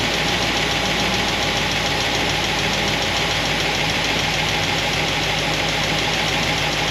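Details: Solid roller lifter engine, warm idle after fixing pushrod guide plates: dense, even solid-roller valvetrain clatter with no loud single tick, slight noise on passenger side; fixed, cause was guide plates, normal idle.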